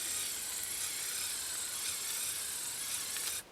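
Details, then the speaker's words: Casio CP-10 thermal printer mechanism driven by a Blue Pill, sitting on a surface: fast dry ratcheting chatter of the head stepping, then clean stop; working normally. "So you can hear the that's the mechanism driving along on the extremely"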